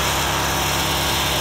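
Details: Agway GT 1846 garden tractor, industrial commercial single-cylinder engine, started cold after sitting: even steady drone with no knocks, misses or surging; running smoothly and healthy.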